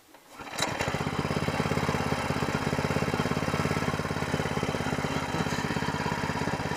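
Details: New SPS Longtail mud motor small single-cylinder engine during break-in, pull-started: quick, even putter with no misses or knocks; running healthy.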